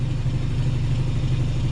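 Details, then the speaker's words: Homebuilt air compressor with an aftercooler and water trap, heard from across the room with the compressor in the corner: muffled, steady low hum with a slight pulse and no knocks or squeals. Normal running, quiet enough to talk over. "as you can see not very loud at all I'm talking at a normal voice or my normal voice anyway and the compressor is over in that corner"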